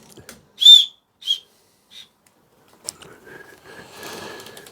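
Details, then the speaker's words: 2000 Rover 75 1.8 K-series, cylinder leakage test on cylinder 2 while turning the engine by hand: three short high whistles, each fainter, as the piston rises, showing it coming up on compression, not exhaust; compression stroke whistle. "so the whistle means it's at the top and then now you're feeling I'm guessing well it tells me which stroke it's on tells me is coming up on compression not on exhaust"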